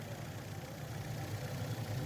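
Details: 2010 FAW V2 petrol car with misfire codes P0300, P0302, P0304 after spark plugs were changed: engine idles with a steady, even low hum, no skips or stumbles; mechanic notes engine still has a weakness.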